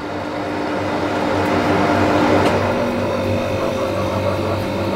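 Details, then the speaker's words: Trotec TTK 75 E dehumidifier sound test: steady even low fridge-like compressor hum with faint fan behind it; healthy running. "this is clearly making more like a freezer refrigerator type of noise. You can almost not hear the fan."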